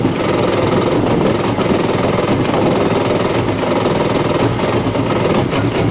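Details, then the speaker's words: Two-stroke jet ski started on the lift: steady buzzy cranking with only the odd weak fire, not enough to run; starter must be held until it fires enough to keep running. "See, that was a fire. But if you let go, it's not going to run. That's not enough to do it."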